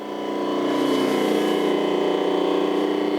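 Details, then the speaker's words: Rotary phase converter idler motor supplying three-phase power, after maintenance and reconnection: steady even hum with constant motor tone, no rocking knock or rattle, much quieter than its earlier annoying pitch; normal running. "I got a say it's a lot quieter than it was in the past it was really annoying"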